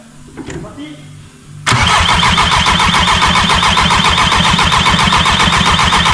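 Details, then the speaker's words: 1.9 TDI diesel first start during build: loud, even cranking at about four compression pulses a second, never catching; cranks but won't start because fuel feed and return lines were swapped, acting like no crankshaft signal. "j'ai inversé l'allerretour de gazev donc ça pouvait pas démarrer donc ça faisait comme si j'avais pas de pas de signal villebrequin ça faisait ça tournait"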